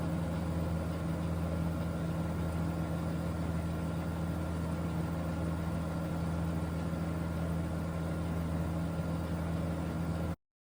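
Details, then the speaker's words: Tractor diesel at 2,500 rpm rated PTO speed with Rhinohide canopy installed: steady, even drone with constant low hum, no knocks or surges; healthy running, about 1–2 dB difference versus no canopy. "PTO's going roundy round. There we go to 2,500 RPM."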